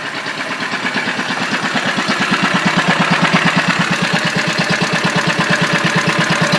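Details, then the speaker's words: Old 1.5 hp Wolseley WD single-cylinder engine warming up: a slow, even firing beat of about three per second, steady and regular. It runs well. "that thing runs pretty good though I'll tell you"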